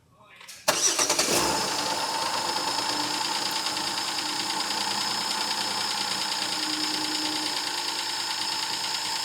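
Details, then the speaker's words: 2008 Jeep Wrangler 3.8 L with 212,000 miles, started during a pre-purchase inspection. After it catches, a fast metallic clatter rides over the idle from the top end; a lifter is suspected, and the oil filter was cut open to check. Valvetrain rattle. "they're rattling like crazy sounds like upper engine noise so could just be a lifter or something like that right"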